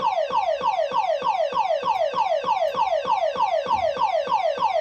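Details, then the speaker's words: Silverball Mania pinball machine at power-up: falling chirp tone repeating about every 0.6 seconds with no play input; something is stuck, likely a switch held closed, not yet found. "There's that noise. Oh, actually something's stuck."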